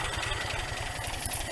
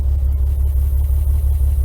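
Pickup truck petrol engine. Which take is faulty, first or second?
second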